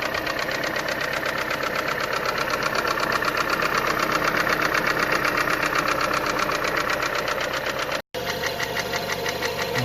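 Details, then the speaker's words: Renault Megane 2 1.6 automatic, engine knock after an oil leak, hot idle: steady, fairly even tapping about four per second from somewhere in the engine, source not pinned down; cam phaser rattles on cold start, car drives and holds revs fine. "Вот так стучит на горячую."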